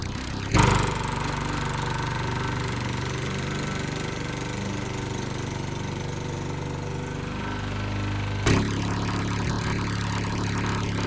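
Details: Sears Eager One lawnmower Tecumseh single-cylinder engine after rod-knock repair (beer-can metal shim on connecting rod), throttle half, fresh oil on rings may smoke; runs steady and even with a brief throttle blip, no rod knock heard.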